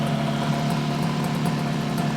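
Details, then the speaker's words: 1968 Yamaha YAS1C 125 twin two-stroke after carburetor cleaning: one side fires every stroke, the right cylinder misfires about every other stroke, with a cooler exhaust and an oilier plug on that side; cause unclear. "still it just uh you can hear it it's not quite a steady fire it's a Miss fire this side's nice and smooth you get a hit every every stroke this one maybe every other stroke"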